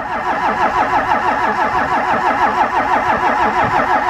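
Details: Diesel vehicle on a cold Canadian day, not plugged in, running 15W-40 oil, with a leaking fuel filter housing O-ring: long steady cranking at about three strokes a second that never fires. Battery not dead.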